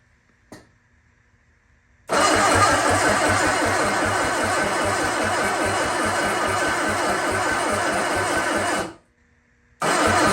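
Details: Sunbeam Alpine 1725 being cranked on starting fluid after a timing adjustment: about seven seconds of steady, even starter churn with no catch. It cranks but won't start; the owner suspects a timing issue, with some exhaust backfire noted.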